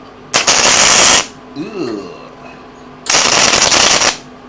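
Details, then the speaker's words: First try at gasless flux core MIG welding, tacking, with a wrong-size wire coil in the machine: two harsh crackling bursts with a short pause, erratic spattering weld; welder thinks wire speed may be too low. "Might have to adjust my wire speed, because like I say, I'm not used to this, same as you guys."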